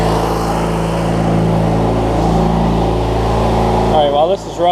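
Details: Craftsman LT1000 rider with swapped-in opposed-twin engine: steady, even low drone with smooth firing beat, no knocks or misses; healthy normal idle.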